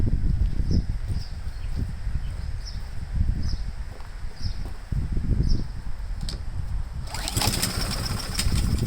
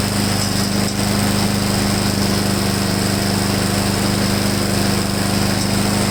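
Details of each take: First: Honda-powered Husqvarna mower, choke possibly still on: chugs unevenly with irregular low thumps, never smooth; owner unsure if flooding, later suspects the emulsion tube must come out. Cause unconfirmed. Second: Husqvarna mower after cleaning a clogged carburetor main jet, draining the tank and adding fresh gas with Seafoam, previously hunting and surging: steady constant buzzing drone at full throttle, no surging or sputtering; runs evenly and healthy.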